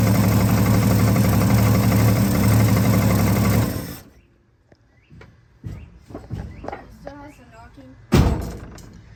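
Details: 1965 Ford Fairlane 500 started after over 30 years: runs with a steady knock about four per second over the idle, then shuts off; source not pinned down, possibly the oil pan or flex plate, suspected not confirmed.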